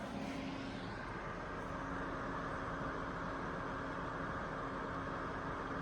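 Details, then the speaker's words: ACMEMATION 120mm PWM case fan, one fan at about 50% speed, about 6 V actual, recorded about a foot from a decibel meter; soft steady air whoosh, faint hum, no ticking or grinding. "Then down to 50% speed, which would be around 6.4 volts on this thing."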